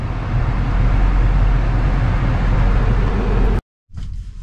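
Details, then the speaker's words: 2013 Lexus CT200 AC blower motor after replacement; the old unit had grunting and grinding noises and tripped out. A steady, even rush of air with a low hum, no ticking, rattle or squeal; working smooth. "so thank god it's all good it's working smooth i'm happy"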